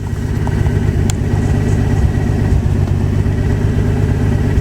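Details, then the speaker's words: Nissan 300ZX engine on a cold start after a hydrolock, with oil changed and new spark plugs, after sitting 2 days with moisture still burning off; steady, slightly fast idle with no misses, normally about 750 rpm lately, previously 1,900. "Revs are a little high, but again, hasn't been running at least 2 days, and this is normally my daily driver."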